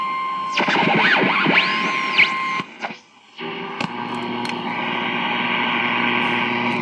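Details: 1947 Ranger Marine Electronics Specialties Model 118 battery tube portable radio after repair and alignment: tuning whistles sweep past, then a station locks in with clear steady audio and faint hum; AM reception healthy.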